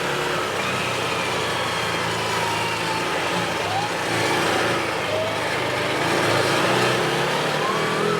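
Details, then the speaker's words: 2017 Odes side-by-side in low gear at about 13 mph, light throttle: engine repeatedly drops off and picks back up in uneven swells, surging badly; stops under full throttle. "You hear that kicking off and on like that really bad? Surging really bad?"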